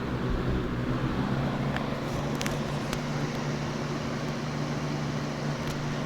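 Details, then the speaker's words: Lasko WeatherShield box fan bought 2017, still working, on high speed: steady even whoosh with constant low hum, no rattles or wobble; typical high-speed Lasco sound, decent airflow, running normally. "Typical high-speed Lasco fan sound. It flows a decent amount of air. I can't complain, but it's not an air circulator."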